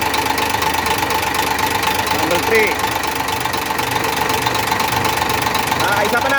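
Steady idle with a quick tap-knock about four times a second over a thin whine; knocking present, source not yet pinned down.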